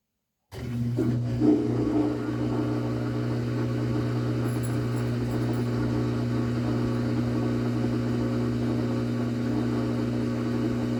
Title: makes loud noise and spin drlay